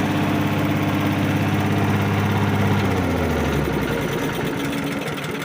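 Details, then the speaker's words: 5-6 hp Briggs & Stratton leaf vac engine after a new carburetor, replacing a broken fuel needle that flooded it: the single-cylinder drops from a fast steady beat to a lower even run with no misses. Running strong. "yeah, she runs strong now. New carburetor solved the whole thing."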